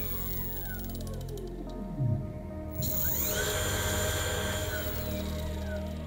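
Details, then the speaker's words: Car alternator converted to a brushless motor, run by a brushless controller on a 55 V supply: the whine sweeps up in pitch, then holds a steady, even tone at maximum speed, very quiet; normal running. "Nó rất yên tĩnh và rất mạnh mẽ. Với bộ điều khiển mạnh hơn, nó có thể đạt công suất 10.000 watt."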